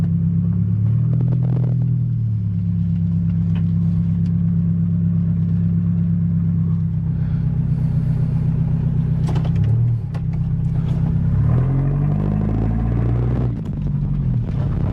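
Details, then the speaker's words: 1997 Toyota Tacoma 4-cylinder, rebuilt from a wreck with a new radiator, pulling out of the garage: a deep, loud, rumbling exhaust with a steady beat that swells and eases as it drives off; the engine is running fine. "Landed it. She moves. She's alive. She sounds pretty good, maybe a little obnoxious,"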